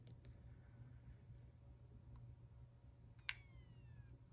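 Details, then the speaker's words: Failing hard drive in a 5.5 Gen iPod Classic, powered via an original 30-pin cable: it spins up, then the head lifts off and goes down again with faint irregular ticks and a sharp click, repeating the cycle (click of death); backlight also out. "okay bad hard drive uh the hard drive sp spins up and then the the head lifts off and goes down again like that so that cuts the cycle"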